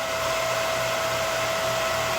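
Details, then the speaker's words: Used Breckwell/Facso pellet stove combustion exhaust fan from a Breckwell P24I on an open bench: smooth steady airy whir with constant motor hum, strong motor and airflow, not excessively noisy, no squeal, rattle or scrape; normal blower operation. "It's not excessively noisy considering that it's on an open bench right now. So this is a good functioning fan. It has a strong motor on it and strong airflow."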